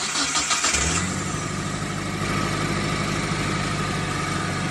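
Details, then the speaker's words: T120SS MPI car after replacing the faulty CKP crankshaft sensor, which had stopped the fuel pump and injectors and left it not starting: brief cranking, then the engine catches and settles into a steady, even idle; it starts normally now. "oke ah sekarang mesin sudah kembali hidup"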